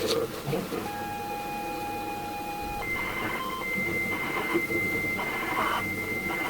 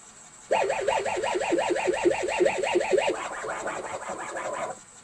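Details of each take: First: ZX Spectrum 128 +2 game tape played on an alternative external player instead of the faulty built-in drive: steady high whistle then fast, even warbling chirpy bursts; normal cassette data loading tones, tape likely in decent condition. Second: ZX Spectrum 128 +2 built-in cassette drive failing to load tapes: a warbling, wavering two-tone squeal pulses about three times a second instead of normal 8-bit loading tones. Abnormal cassette loading sound.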